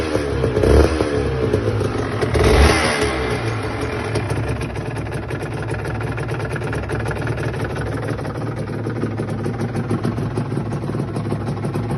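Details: Aprilia RS 125 two-stroke: blips hard, then settles into a rough, uneven idle with a loose clatter underneath; cause not confirmed. Abnormal engine noise.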